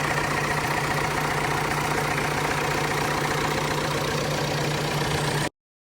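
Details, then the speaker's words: Massey Harris 555 diesel tractor after repair for water in the oil, oil pressure 35 psi, gauge line leaking; steady, even idle with smooth low chug, no knocks or misses, runs nice; normal idle. "I'll start it up here while I have you guys with me here. Runs nice."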